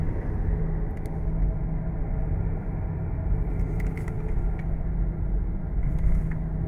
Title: Driving w/ Bad Front Wheel Bearings - Humming Sound